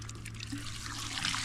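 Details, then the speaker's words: Water-well pump after repairing a broken sucker rod; pump rod moving up and down true, with steady splashing water from the outlet and a low hum behind it; normal pump discharge. "now our pump rods going up and down nice and true that's what it's supposed to do we're making water now"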